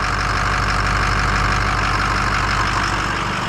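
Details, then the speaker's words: 2006 Ford 6.0 Powerstroke diesel, after repair of combustion gas entering fuel system: steady even idle, smooth clatter, level throughout, no knocking or banging any more; problem solved. "hey she's not clattering and banging and knocking now sounds like a 6 liter"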